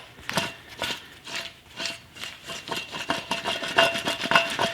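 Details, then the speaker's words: Worn rear wheel bearing from a Ferrari F430, removed and turned by hand: rough, gritty rasping in uneven bursts about twice a second; bearing badly worn, debris coming out, being replaced. "So, you can see there's a lot of stuff coming out of this bearing. It definitely is pretty hosed."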